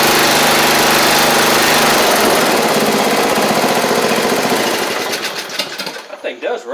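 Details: 7-year-old MTD Murray riding mower after repairs, including a replaced missing exhaust valve, with covers back on: single-cylinder engine runs steady and even, then winds down smoothly at shutoff with no knocking or missing.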